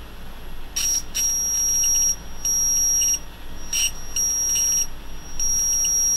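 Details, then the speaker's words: Flyback transformer driven by a TL494-based driver with adjustable frequency and duty cycle, swept through its range: thin high-pitched buzzing whine cutting in and out with crackly bursts, a fine squeaky high-voltage arc across the gap. "okay let's see if we get any more of an arc yeah get a little bit of get a little squeaky Arc there just going to go through all the range and see what happens okay"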